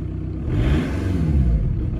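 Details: VW TDI ALH diesel start right after fitting new injector nozzles and bleeding the lines: catches quickly and picks up into a smooth, even rev with no misfire or knock; healthy start and run.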